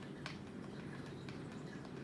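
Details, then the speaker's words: Donner guitar during a full setup: sharp little clicks over quiet room hum as a fret rocker tips over a high fret, so bad it's judged unplayable. "I'm checking for any Frets that are high and you wouldn't believe it the first go I found of high fret listen to this can you hear that clicking that's bad"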